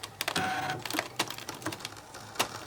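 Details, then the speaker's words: Brother ScanNCut cutting heavy crepe paper: irregular sharp clacks and smacks over a light motor whir as the head moves, sounding like everything is exploding inside. Loud clacking while cutting, cause unclear. "Listen to that noise it's making. Holy cow smacks. What is that awful noise? Good God, Gertie. That just sounds awful. It just sounds like everything was exploding inside my machine."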